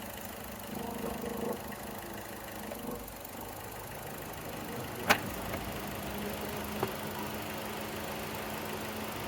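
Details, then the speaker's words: Chevy Cruze after replacing the failed PCV valve (torn diaphragm, whole valve cover replaced): steady, quiet, even idle with no whistle or hiss of sucked air; the PCV hissing is gone, normal idle. "Okay, so we got the engine running. Sounds good. As good as a Chevy Cruze can sound."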